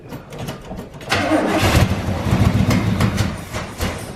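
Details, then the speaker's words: 1984 GMC Sierra C25 454 big-block, junkyard-stored 19 years, with new gas tank, sending unit, fuel pump and carburetor: slow uneven cranking with brief catches that never settle; still priming fuel, not starting. "wants to not really sounds like it it's been over good but taking a little while to get primed i guess"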